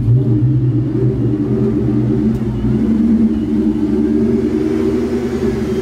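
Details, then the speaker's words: Vortech-supercharged 1999 Ford Mustang GT 4.6 two-valve V8 with Tial Q 50 mm blow-off valve, idling; deep even burble at fast idle, idle fluctuates slightly, owner blames blower/charge pipe, runs perfectly driving; healthy supercharged engine. "so it does have a tile Q 50 mm blow valve it sounds sick it really does especially driving you can really hear it"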